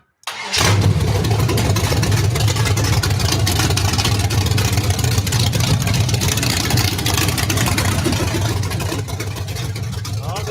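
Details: Freshly built Vortec 350 small-block Chevy with Summit 8802 roller cam (about .525/.520 lift): cranks, catches within a second and settles into a loud, steady, slightly choppy cam idle with no knocks or rattles; healthy.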